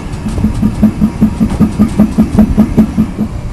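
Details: 2006 GMC Sierra 1500 Z71 4WD with 4.10 rear end: steady train of low pops, about five a second, from the rear axle as the wheel turns, with a felt vibration in the tire; forums suggest normal or C-clips, unconfirmed.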